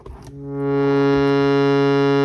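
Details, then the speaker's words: Shruti box playing a healthy reed note for comparison: clean, steady note that swells in and holds pitch with no ringing or buzz, unlike the marked buzzy reed being fixed. "let me just play a different note so you hear a note without the ringing sound"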